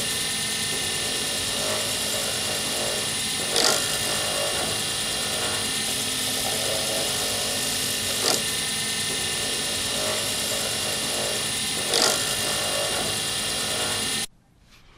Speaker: I hope you could hear it that's what it sounds like when you make a scratch on a blank and that's what you try to avoid